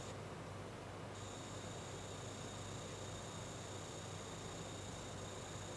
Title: GIGABYTE GeForce GTX 1070 свист дросселей